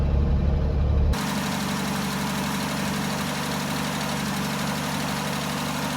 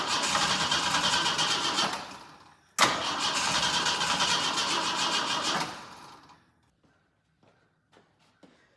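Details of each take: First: Jeep J10 after carburetor rebuild, cold weather, about two gallons of fuel: brief louder burst then even, steady low idle, no knocks or misses; builds oil pressure and voltage, some oil burning off, suspected valve cover gasket leak. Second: Jeep J10 with freshly rebuilt carburetor and choke mechanism not yet rebuilt, so choke inoperative: two long cranking bursts with rapid, even turnover that never catch; cold engine hard to start without a working choke.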